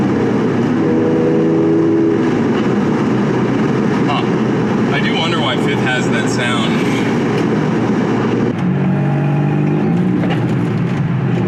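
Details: Nissan G35/350Z manual after a shifter alignment plate realignment, the fix for grinding into gears and no reverse lockout: the car pulls through the gears with smooth rev drops at each change and no grinding or crunching; the realignment appears to have succeeded.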